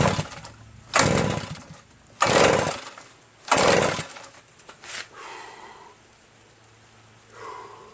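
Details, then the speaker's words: Reassembled Redmax EBZ8050 commercial backpack leaf blower, throttle opened wide and brake cleaner sprayed into the intake: three hard pull-cord rasps, one short pop, never starts. Spark at the plug is confirmed; owner suspects carbon-packed rings causing low compression. "So I was just pulling it until I was about to have a heart attack. And there was one pop. Went pop, just like that. Nothing else happened. I've been pulling this for like 100 times."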